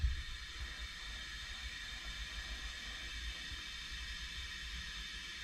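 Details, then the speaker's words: Boat refrigerator switched back on after a 15-minute fix for a recurring once-or-twice-a-year fault: soft constant hiss over a faint low hum, no cycling off, the sound of freon moving; refrigerant flowing normally, fridge working. "not sure if you can hear that that is the sound of freon moving"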